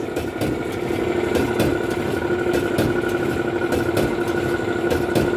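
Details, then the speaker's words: Alliance/Speed Queen commercial clothes dryer running: loud abnormal rumble with metallic scraping drone and thump about four times a second; damaged drum idler pulley and worn drum bearing slides, also not heating properly; replaced pulley, slide kit and pulley nut, then ran quietly. "start the machine see this noise just like a cushion noise"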